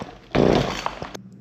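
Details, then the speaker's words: Husqvarna 223L trimmer, cranked with choke on, primer bulb pumped and throttle squeezed: short rasping pull-start burst that never catches; won't run, blamed on old gas or rotten lines and fixed with a carburetor kit. "All right. So, it does look like this doesn't want to run."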